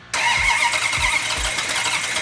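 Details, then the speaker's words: Numbers-matching 426 cubic inch V8 on its first start, fuel in the carburetors and oil pressure up: cranks and catches with a few heavy, uneven thumps, then runs rough and lazy at idle; ignition timing set too retarded. "hang on. I think it's retarded. Hang on. You know, it's very rare that when you fire one of these engines up, that right off the bat you have the timing set perfectly."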